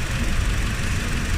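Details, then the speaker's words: Honda Civic misfiring at idle with no check engine light: a low, lumpy, unevenly stumbling beat that changes when the coil socket is wiggled; the cause is a loose ignition coil socket connector, not the coils or plugs. "Saglit lang yung problema natin. Ang problema lang nito is yung ignition coil socket."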